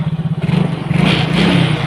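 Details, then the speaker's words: Yamaha Mio Soul GT scooter that was smoking, on its final test run after reassembly with a plug-and-play Vario 110 piston substitute. Even, steady beat with no knocks or rattles. Normal running, ready to use. "Oke Mas Bro, wis normal aja semuanya, nggak ada yang aneh. Wis suaranya ya adem lagi, normal lagi, wis siap tinggal dipakai."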